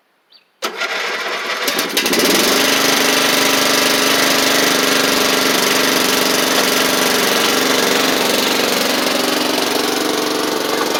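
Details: Troy-Bilt Pony mower after its Powermore engine was swapped for a Briggs & Stratton flathead: quick crank, catches within a second, then a steady, even drone with no stumbling. Normal start and running.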